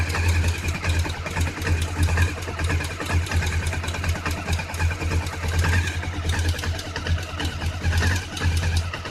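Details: Honda CB500 idling cold: pulsing low thrum with rattly ticking on top; abnormal cold-engine noise, cause not pinned down.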